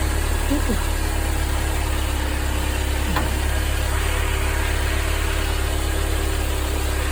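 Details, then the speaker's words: Mercedes-Benz 190E W201 2.0 (M102) after replacing the belt tensioner, damper and belt: steady low idle rumble with no squeal, chirp or flapping, so the belt tension is fine; the worn tensioner had caused a dull noise. "Encendí el motor y verifiqué si la correa estaba floja. Parece que no hay ningún problema."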